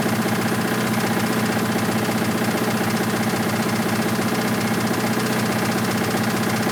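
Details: 1986 Toyota MR2 AW11 salvage-yard parts car, after vacuum leaks were fixed: loud, regular knock about four per second over the idle; bad rod knock, engine declared toast.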